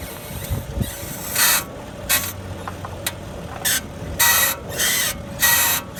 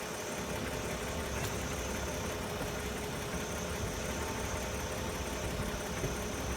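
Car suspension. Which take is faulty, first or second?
first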